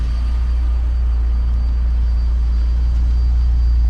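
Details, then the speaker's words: BMW E30 with M54B30 engine swap, cold start after sitting two weeks: fires right up into a deep, steady, smooth idle with no smoke, soot, ticking or cold-start rattles; healthy cold idle. "No smoke or soot. No cold start rattles."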